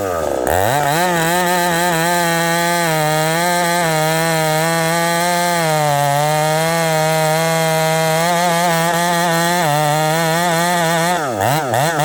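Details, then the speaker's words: Husqvarna 371XP chainsaw cutting wood: engine note wavers and sags with crackling, misfiring under load again after three good cuts; a lost screw noted, cause unresolved. "Okay, friends, well, I made 3 good cuts and it's doing the same thing again. Back to the drawing board. Okay, friends, I kind of thought it was fixed for a second, and then I went for one more cut and I could hear the crackling, which I lost a screw."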